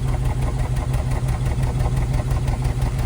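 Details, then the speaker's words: Neglected 2005 Honda Element with a known bad misfire that shakes the whole car, with only a misfire code stored. It idles lumpy and uneven with a stumble about three times a second and a shaky low thump; misfire at idle, cause unclear. "So, I'll start it up. Look at that engine shake. Listen to that."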